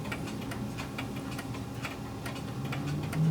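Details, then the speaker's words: New American-style pendulum clock, freshly wound and started: crisp, positive ticks about three per second but uneven tick-tock spacing; slightly out of beat, needs beat adjustment. "all right so it's got a very positive tick sounds pretty good but i am detecting that it's slightly out of beat"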